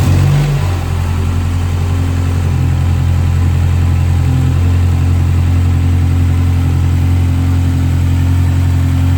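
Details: BMW N13 engine first started after a timing chain replacement: smooth, even idle with a steady low hum and no ticking, rattle or chain slap; engine sounds healthy.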